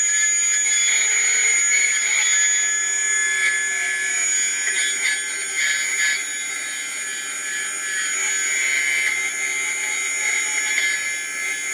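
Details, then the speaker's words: Atlas launcher gyro rotor on spin test, fed 115 V AC across terminals A and B via a 270 nF capacitor: a loud, steady high-pitched whine with a shrill, rattly edge, very noisy at full speed. "Okay, so you can hear the gyro spinning, but it is very noisy at full speed."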